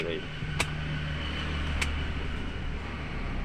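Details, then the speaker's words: Toyota Avanza/Daihatsu Xenia-type car, engine at settled idle in neutral after starting: AC switched on, two sharp compressor clutch clicks over steady idle hum with fan whoosh; compressor and radiator fan now engaging after repair of AC not working. "itu terdengar suaraeng sepertinya kompresor sudah aktif ya teman-teman sudah aktif"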